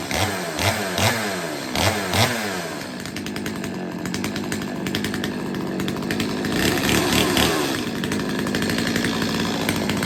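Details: Stihl 025 two-stroke chainsaw after a carb tune-up and chain sharpening, test run with the bar and chain refitted and being oiled up: a few sharp blips, then a crisp, steady high rev without bogging; normal running.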